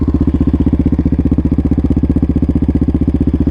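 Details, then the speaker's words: 2024 Yamaha Raptor 700 RSE single-cylinder quad with new exhaust, air intake and ECU tune, warm after a test ride with the fan just cycling off: steady, even thump at about four beats a second with no knocks or misses; normal idle. "It just turned off. Yeah, she's idling. She's purring like"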